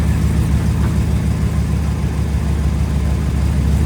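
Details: 2011 Ram 1500 5.7 Hemi 4x4 idling after a temporary fix for crank-no-start, fuel pump relay at fault: steady, even low rumble, no knocks, misses or stumbles; normal idle.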